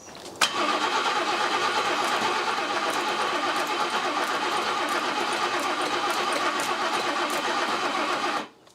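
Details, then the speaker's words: 1979 BMW E12 520 barn find, first start in 30 years on its own fuel supply, rear up on ramps: about eight seconds of steady cranking, no firing. No fuel reaching the carburettor; owner suspects the raised rear is the cause. "don't think it's pulling fuel through I know it is there is fuel getting through now jump a pack on let's try again no there's no fuel getting to the carb so why is that"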